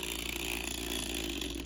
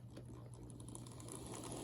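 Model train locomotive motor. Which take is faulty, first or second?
first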